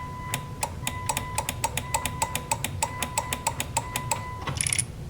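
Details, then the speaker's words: 3rd-gen Mitsubishi Eclipse GS idle air control valve, sprayed with brake cleaner, engine off, key turned on: sharp uneven clicks about three a second, valve clicking but plunger apparently not moving; happens only sometimes, cause suspected. "So, I recorded it with my phone and you can hear it clicking or making a noise, but it's not doing anything."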